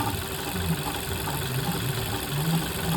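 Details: VW Golf 1.4 TSI at steady idle: faint rough hum with light whirring under the engine note, from a failed water pump bearing.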